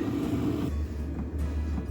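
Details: Lavaner 5 kW diesel heater newly fitted in a static caravan, just started, slight exhaust smoke, later giving warm air: steady, even low rumble with no knocks or surges; burning smoothly, normal running.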